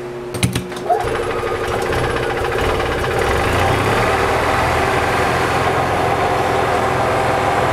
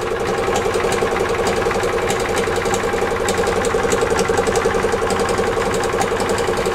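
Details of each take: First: EZGO TXT gas golf cart, previously hard starting with power loss, after a carburetor clean, valve lash check, tightened plugs, new air cleaner, fuel filter and tightened starter-generator belt: starts promptly, steady even idle with a regular low pulse, no misses or knocks; normal idle. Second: 1996/1999 EZGO TXT gas golf cart, hard starting, power loss, rattle: engine runs evenly with sharp metallic clatter about four times a second; clutch suspected, possibly starter-generator bearings or internal fault, starter-generator belt needs adjusting.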